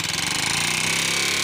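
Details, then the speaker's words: 2015 Honda CB Shine 125 single: sharp, fast, even ticking over the engine beat, keeping time with the engine; excess play in the valve train, pushrods to be replaced. Valve train tapping. "इसके अंदर एक आवाज आ रही है दोस्तों यह देखिए दोस्तों यह इसमें से आवाज आ रही है और जैसे रहते तो दोस्तों छोड़ ज्यादा हो जाता है"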